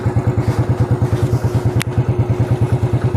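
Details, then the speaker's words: Motorcycle running without a battery, using a substitute fitted in its place, steady even thumping about three beats per second with no misses or knocks; engine runs normally and the lights are not dim. "Nah, dia berfungsi normal walaupun tidak ada akin-nya. Dan ini nyalanya juga normal, tidak redup seperti enggak ada akinya."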